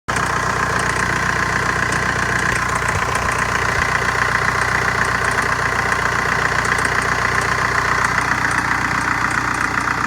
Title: Strange metallic chirping noise 2003 VW Jetta ALH 5 speed TDI